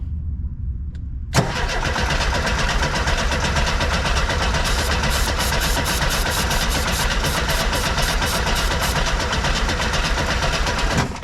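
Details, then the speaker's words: 1976 VW bus that sat over ten years, cranked after carb cleaner was sprayed into the intake: long steady cranking for about ten seconds with no firing or catch at all. The owner suspects no spark; no spark seen. "So, based on that, I'd say it probably doesn't have spark cuz I just gave it fuel."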